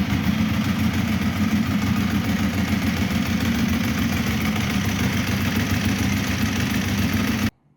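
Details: Ducati 1198 V-twin idling after starting first time despite battery reading only 12.1 V (old Yuasa, intermittent no-start); loping, slightly uneven idle with dry clutch clatter, steady until switched off; normal idle, sounds healthy.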